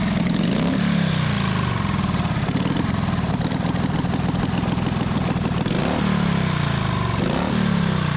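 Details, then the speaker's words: 1928 Harley-Davidson factory hill climber, one-kick start: lumpy even firing pulses, revs rising and settling cleanly with no knocks or misses; healthy, normal running. "Now this thing makes absolutely awesome noise for a bike of this age to produce the power that it does, and really pretty impressive."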